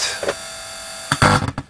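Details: Vintage Sinclair Z50 DIY amp module tested at low power, about 12 V, speaker and laptop connected: low steady hum with faint higher buzz and handling knocks; suspected pickup from the laptop's power supply.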